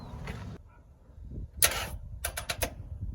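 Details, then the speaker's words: 1972 Chevrolet Camaro with a hurt engine after sitting a long time, "new old" battery fitted and no fuel: key turned gives no cranking, just a sharp click then rapid chattering clicks, from a battery too dead to turn the starter. "Yep. Wow. That battery must be super dead."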